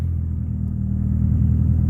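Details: Honda EK Civic with H22 swap, after a defective engine harness starter signal wire was replaced (starter clicked when hot, started only with jump box): deep, even engine rumble with slight rise in revs, no misses; running cleanly.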